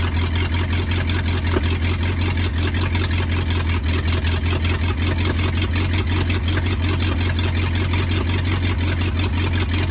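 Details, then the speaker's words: 1939 Ford 1.5-ton truck flathead V8, parked about 65 years after a bad head gasket with water in the oil pan, first run: deep, even V8 burble at steady idle, no knocks; runs pretty good though carburetor is a little weak. "well I got to say she runs pretty good she does idle that carburetor is a little weak but she runs pretty good"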